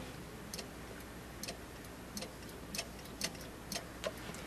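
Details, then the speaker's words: Goodman furnace pressure switch, hose pulled off inducer motor and sucked on: faint single clicks as diaphragm pulls copper contact closed, making continuity; normal switch operation. "if I suck on this, there's a diaphragm that pulls against uh um a a copper um contact, if you will, and uh and makes a continuity between these wires here."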